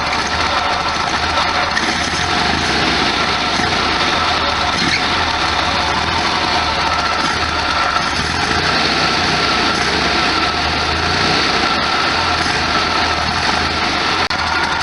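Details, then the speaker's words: 1973 VW Super Beetle air-cooled flat-four, after a cold start, no throttle; self idle judged pretty good despite vibration. Steady even idle, soft low thrum, no knocks, misses or hunting. Normal idle. "Ah, the sound of a high MPG motor. Look at that vibration, bouncing up and down. Smells okay. The self idle seems to be pretty good."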